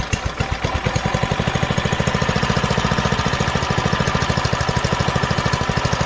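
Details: Doodle Bug DB30 minibike after fitting a new carburetor: the small single thumps at an even, quick beat of about ten firings a second with no stumbling, running way better than before.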